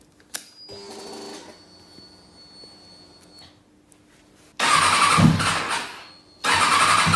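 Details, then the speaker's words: 2005 Kawasaki ZX-6R four-cylinder, lost power and sounded like a triple on track: starts after a pause and runs only in short, ragged, uneven bursts; one cylinder not firing, its header pipe stays cold while the others warm; misfire, one cylinder dead. "Nee nee, ik ga het niet doen klinkt niet gezond"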